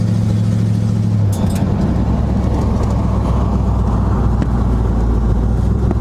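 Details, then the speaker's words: 1976 GMC Sprint on its first test drive in 15 years, after brakes were made working: steady, low engine drone under road, wind and rock noise, even with no knocks or misses; engine running normally while driving. "Windshield so dirty I can barely see out of it. Oh, motor sounds good though."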